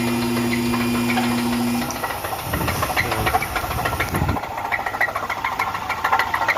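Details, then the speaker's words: 3.8-litre supercharged Pontiac engine: a steady hum drops away, then deep, uneven bottom-end knocking at about three per second, rod knock; the engine later would not turn over after restarting. "we got a 3.8 liter supercharged ponia you know what that noise is sound of a rod knock thank you"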